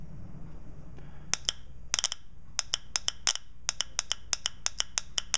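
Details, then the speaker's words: Known-good shift solenoid from a 1992 Nissan Pathfinder automatic (in fail-safe, not shifting), bench hard-wire test on the removed valve body: sharp, clean metallic clicks, about twenty in four seconds; normal solenoid operation. "that's what a normal solenoid in my opinion should sound like so all is good there"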